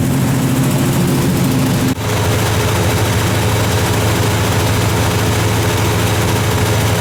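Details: 1978 Chevy K30 Scottsdale 350ci V8, first start in 4 years after sitting, smoking badly on one side; loud deep rumble holding even idle with one brief dip, no knocking or clatter. Normal idle.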